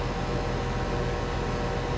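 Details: Used R22 condenser unit on first start after repair: compressor changed, new TXV and sight glass, start relay and capacitor added, recharged with R22. Steady even fan rush over a low compressor drone, no rattles or knocks; pressures still hunting; normal operation.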